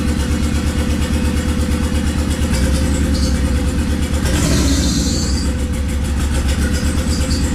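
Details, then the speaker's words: Swapped Honda D15B2 engine in an EG coupe at idle: uneven, stumbling low thump with irregular beat as a cylinder drops out; misfire. "everything else sounds great um it's just like a little misfire or something you figure out where it's coming from"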